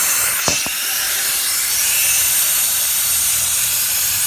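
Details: Hot no-start, cylinder air test: constant high-pitched hiss of escaping air with no mechanical noise; air leaking past during the test.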